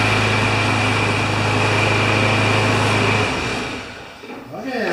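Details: Craftsman lawn mower with Kohler single-cylinder engine of about 6 horsepower, brought in with a broken pull rope, just after carburetor cleaning: buzzes at a steady, even speed for about three seconds then winds down; starts and runs normally.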